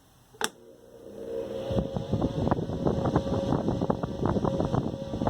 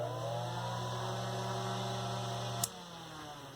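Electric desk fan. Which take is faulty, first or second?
first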